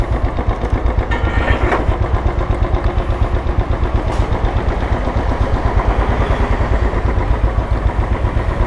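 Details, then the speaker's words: 2013 Royal Enfield Classic 500, fuel-injected and stock ECM, on a ride after repair: it had a misfire because one of its two spark plugs was dead and the other weak. Steady even single-cylinder thump, no stumbles. Normal running. "ഇത് വണ്ടി ചെറിയൊരു മിസ്സിങ്ങുമായിട്ട് ബന്ധപ്പെട്ട് വന്നതാണ് കേട്ടോ. അപ്പോൾ ready ആയിട്ടുണ്ട്. അത് spark പ്ലഗിൻ്റെ പ്രശ്നമായിരുന്നു."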